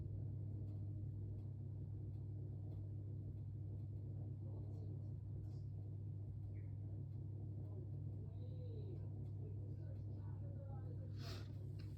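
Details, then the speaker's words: Hisense HDE3211BWUK electric cooker (new), grill-only selected, element cut out at about 232 and cooling; the external cooling fan at the back keeps running: a quiet, steady low hum with no rattle or wobble, running normally. "co 232 still hear the external fire in the back so always going to try to cool himself"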